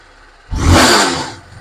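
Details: TVS Apache RR 310 after major service with several worn parts replaced, including the decompressor rocker, cam and original TVS air filter: the engine picks up cleanly into one smooth, quick rev and settles back with no rattle or knock; it sounds healthy.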